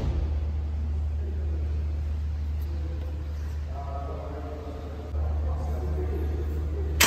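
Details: Toyota Yaris at idle: steady low engine hum with no squeal, chirp or rattle from the belt area. Normal idle.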